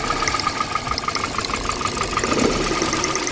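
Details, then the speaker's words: Vehicle with engine misfire, idling, coil packs lifted slightly one at a time to test: sharp snapping ticks seven or eight a second with engine note changing; good coil producing strong spark, unlike the failed coil elsewhere. "Hear that sound? That's the sound of the current jumping from the K. That's a good part there."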